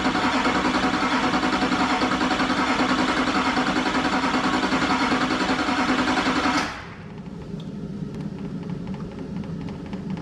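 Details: 2001-04 Chevrolet Duramax LB7 diesel idling right after injector replacement, fuel system primed and coolant bled: even clatter at a steady beat, no misses or knocks, then the sound drops away; engine healthy.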